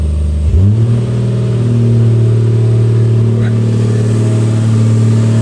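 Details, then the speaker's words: Rebuilt engine's first start after rebuild: brief cranking, catches first try and settles into a steady, even low idle with no misses, knocking or smoke despite oil put in cylinders; normal healthy start. "Det lyder fandme godt, dog. Den lyd, den her har ventet på længe nu."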